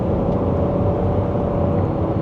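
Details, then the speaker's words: Minivan bought broken from auction, now driving at 60 mph and above. A smooth, steady engine and road drone with no surging, knocking or shake; healthy cruising, though an unexplained odd noise was heard a couple of times earlier. "it has no problem going 60 MPH and over and it's perfectly smooth you can hear from my voice it's not shaking or anything like this thing just cruises"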